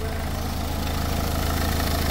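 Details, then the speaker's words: Renault Megane 2 petrol engine at idle: a faint, quick, bird-like chirp from the belt end. Owner suspects the belt tensioner or the alternator bearing; not confirmed. Alternator bearing or belt tensioner chirp. "şarj rasyonun bilyesi var bak ucunda duyuyor musun sesi bak bunun ya gergisi ya da şarj damasının ucundaki bilye bozuk"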